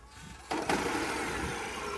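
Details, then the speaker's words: Citroën C5 Aircross 1.2 hybrid, 136 hp, which has no starter motor and restarts via its electric motor as if resuming: silence, then the engine catches instantly and settles into a smooth, even idle; normal hybrid restart. "bunda marş motoru yok Elektrik motoruyla beraber marş alıyor O da farklı bir çalışma tarzı oluşturuyor bakın basalım marşa gördünüz mü yani hani kaldığı yerden devam ediyormuş gibi bir kere daha yapsana"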